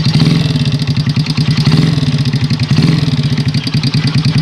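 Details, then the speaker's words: Honda Supra Pit X single-cylinder motorcycle at idle with a fast, even tik-tik keeping time with the engine; loose valve clearance suspected, though a loose piston is also possible, before valve adjustment. "motor ini terasa agak berisik sedikit ada suara tik tik tik tik tikk"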